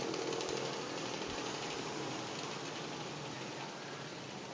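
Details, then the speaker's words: Vacuum pump evacuating a refrigerator system with hoses attached, before the freon charge: a steady, even motor drone with fast, busy chatter and no pitch change. The pump is running normally. "Ya tentu ini vakum ini saya lagi vakum bunyinya ini sudah pasang selang"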